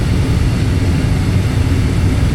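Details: Gas furnace with intermittent no-start, burner firing while outlet pressure is trimmed from 3.77 toward 3.5 in. water column (inlet drops to 6.68); steady low even roar, no popping or fluttering, normal burn.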